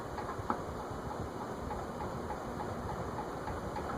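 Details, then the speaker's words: Vintage Mistral ceiling fan made by TAT/Wing Tat, with circline fluorescent light, run on the workbench via the internal variable speed control: quiet hum with faint regular ticks and a sharper knock as speed rises; knocking absent when tested without the glass, source unknown. "wonder what's knocking it wasn't making that sound when I tested it without the glass on it it's not the glass"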